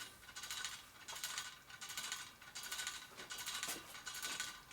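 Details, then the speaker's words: 1972 Harley XL Sportster wheel on truing stand during rebuild: bright metallic ticking rattles in regular bursts about once per turn as it spins, from many loose spokes. "can hear all the loose spokes in there too. There's a bunch of loose spokes in there."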